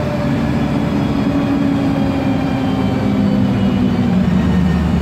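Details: MAN Lion's Classic city bus, MAN E2876 LUH03 CNG turbo engine, Voith DIWA 864.3 4-speed automatic, accelerating under load: heavy engine drone with a steady droning whine; noisy Voith gearbox and mildly singing differential.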